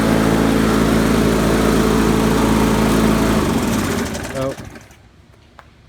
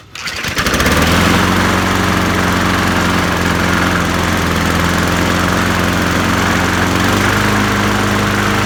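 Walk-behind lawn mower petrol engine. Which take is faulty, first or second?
second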